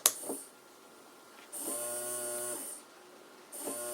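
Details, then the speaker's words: DIY plant watering system, small USB-powered pump motor timed by potentiometer setting: thin whine for about a second, cuts off, restarts at regular intervals (every one, then two seconds); normal cycling. "can hear the motor turning on every second and then if I go okay I want to have it for two seconds"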